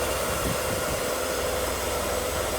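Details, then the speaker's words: Mercedes W124 M103 after head gasket and timing cover leak work, cold just after start: steady, even idle hum with no knocks, ticks or misses; running quietly and smoothly, normal idle. "Wow, smooth. Sweet."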